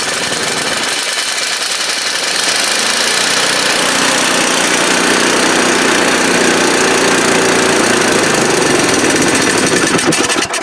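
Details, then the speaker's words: 10-15-year-old Craftsman snowblower with unmaintained oil, gas and plugs, started cold on the electric plug with choke and speed fully up; loud, rough engine climbing and hunting in revs, blowing black gunk, surging, cause not confirmed. "when I start this thing it revs and revs and revs"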